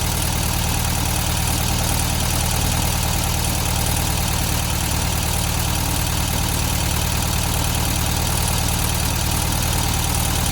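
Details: 1972 VW Beetle 1200 air-cooled engine after valve clearance adjustment and new spark plugs idles steadily on four cylinders with light quick valve-train tapping; owner thinks clearances were set too loose and need tightening.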